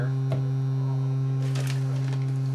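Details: 1990 Mazda Miata door speaker on a low test tone: steady buzz under the note while a hand reaches inside the door; the tweeter crossover box stuck to the door is vibrating.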